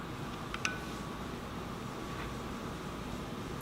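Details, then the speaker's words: Heybike Ranger e-bike front wheel spinning freely with a quiet, even whir after truing the disc brake caliper to the rotor; the brake rub is gone. "so now the rub is gone so right now we have the caliper trued up to the rotor and we've got the rubbing gone off the wheel"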